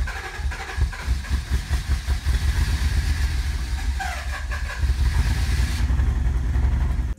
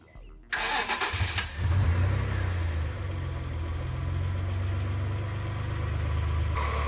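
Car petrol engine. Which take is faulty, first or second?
first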